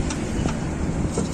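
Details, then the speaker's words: Car on test drive after the cracked brake drum causing a tire noise was replaced: steady even road rumble with no rhythmic scrape or knock from the wheel; the wheel is now quiet. "अब यह हम dry पर निकले हैं test कर रहे हैं और गाड़ी बिल्कुल स्मूथ हो गई है और जो इसकी आवाज थी वो बिल्कुल आप खत्म हो चुकी है कोई बिल से आवाज नहीं ए रही"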